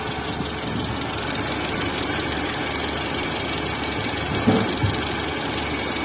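Quick light ticking over a steady idle, a few a second and not perfectly even; a top-end tick, exact cause unconfirmed.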